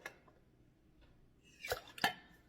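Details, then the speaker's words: Pressure-canned jars after a 10 psi weighted canning run, lid tap test: two sharp, high ringing taps with a clean solid ping; all lids sealed with good vacuum. "beautiful seals on all of them it popped the little piece back out I'm sure you heard there we go all of them sealed perfectly"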